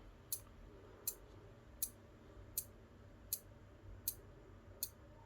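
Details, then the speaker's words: Elegoo Arduino starter kit relay meant to switch a small motor: relay ticks about every 0.75 s with no motor hum; the Arduino drives the relay fine, but both relay outputs were wrongly wired to the motor. "um okay so the arduino is activating the relay fine i'm just not sure why we're just getting ticks and nothing happening"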